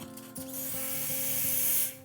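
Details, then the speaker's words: Breville Dual Boiler espresso machine steam wand purged before steaming milk. A short thump, then a sharp, steady hiss of dry steam for about a second and a half before it cuts off, with no water. Normal dry steam purge. "purge until there's steam only, dry steam. You don't want water in your milk."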